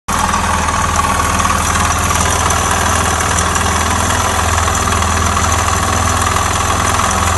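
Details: Suzuki Djebel 250XC: a steady idle with a dull knock under the exhaust beat, even and unchanging. Engine knock, after which the motorcycle never started again; a failing bottom end is likely but unconfirmed.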